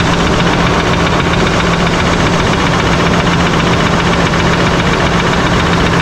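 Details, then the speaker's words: 2024 Chevrolet High Country Duramax diesel, first start after rebuild and radiator support replacement: loud idle with faint uneven tapping about once a second, first suspected lifter or injector, actually air in power steering and transmission; quiet after bleeding and topping up. "And then same with the power steering, it was making quite a bit of noise, which I thought it was coming from the motor, but the motor sounds really, really good."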